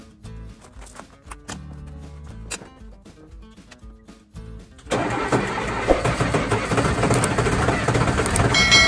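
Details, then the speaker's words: LMTV M-1078 diesel on a chilly day, cold start with engine heater on, after battery box overhaul and new starter solenoid contactor: catches in one go without the old stutter start, settling into a steady, strong idle. "can't say enough how i like that no stutter starting anymore well this is a cold start but with the engine heater on"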